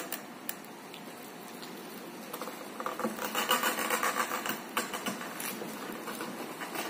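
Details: Scooter pushed with engine off and warm: uneven light clicking that quickens with pushing speed; owner suspects the clutch, cause unclear.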